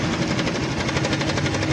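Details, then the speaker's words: Honda Click 125 scooter, odometer reading about 24 km (speedometer not working) but looks like 80,000–100,000; fast steady dry clatter over idle, continuous when cold, another mechanic had blamed a bearing; worn cam chain tensioner letting chain slap. "Yan papalitan natin tensioner. Tensioner to mga ka-ride. Pag ganyan ang tunog"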